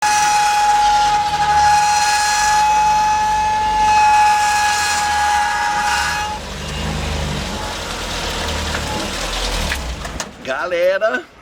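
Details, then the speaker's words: Car rear wheel gives a harsh steady screech with grinding underneath; the noise began suddenly, the wheel was overheating and locking, and the owner suspects a brake lining came loose inside the drum. "que barulho chato tá fazendo nessa roda aqui parece Carro de Boi começou de repente esse barulho que Vocês ouviram né"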